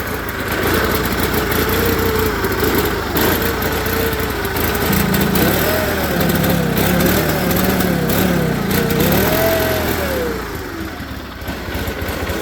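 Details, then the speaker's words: Onan twin in a John Deere 318 garden tractor, new OEM carburetor fitted and valves adjusted by previous tuner, runs real rough, lumpy and surging, wants to stall and won't take throttle even at full throttle. "So you can hear it. It wants to stall, running real rough."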